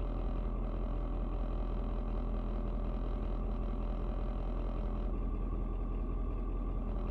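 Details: Ford Super Duty 6.7 diesel, cold start at 56 degrees, rpm dropping slightly once warmed (possibly block heater): steady, even diesel rumble at low idle with no knocks or misses; healthy idle.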